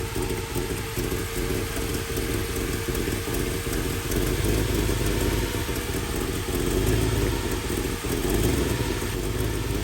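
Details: Carbureted V8 idling with vacuum advance on ported vacuum and a vacuum gauge attached during timing checks: steady, slightly lumpy idle with a couple of gentle swells as the throttle is cracked; sounds healthy and even.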